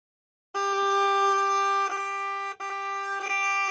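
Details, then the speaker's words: 1960s Homelite Stingray 55 HP boat motor in neutral: a steady buzzing warning horn, and cranking is cut. "so it seems like it only wants to start if it's in gear if you put it into neutral where it horns it uh it won't crank at all it like cuts the the cranking"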